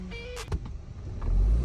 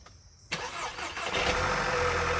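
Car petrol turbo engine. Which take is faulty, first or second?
second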